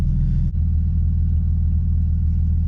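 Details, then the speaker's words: Car that had a misfire and vacuum leak, after spark plug check, hose replacement and water removal, warming up: deep, even idle rumble with no RPM rise and fall and no stumble; running smoothly. "With the RPM starts going up and down, that means it's still acting up. But right now they look good. But right now it looks good."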